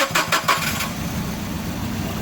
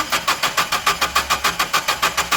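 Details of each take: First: Nissan engine with a customer complaint of rough running, cranked and started: it settles into an uneven, lumpy, stumbling idle. Single-cylinder misfire, traced to a faulty ECU ignition signal. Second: Nissan (MCP) engine with rough running single-cylinder misfire complaint, cranking: even beat about three and a half per second for four seconds with no lazy strokes; compression sounds even, no definite mechanical unevenness.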